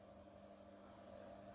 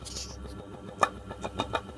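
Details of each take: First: Ceiling fan after its noise, worse at the blades, was repaired without changing the bearing: faint, even low hum with no rubbing, clicking or grinding; fan now runs smoothly and silently. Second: Running ceiling fan gives uneven clicks and knocks over a faint hum, louder at the blades; worn bearing seat, fixed without replacing the bearing.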